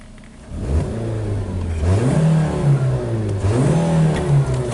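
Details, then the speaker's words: 2012 Nissan Versa (Latio) with codes P0223, P1121 and P0123: revs surge to about 3000 rpm but the car won't pass 30, feeling like a slipping transmission. A throttle fault or a transmission issue is suspected, not confirmed. "I'm going all the way up to like 3 000 I'm not moving and we're going anywhere not even going over 30. it feels like a transmission is slipping okay that's what this feels like"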